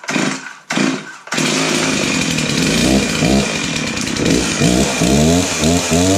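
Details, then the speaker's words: Chainsaw after installing a new carburetor and fuel line: a few short pulls, then it catches and revs up and down cleanly, rising and falling smoothly with throttle; sounds pretty good, healthy running. "all right that sounds pretty good let's take it outside and give it a try"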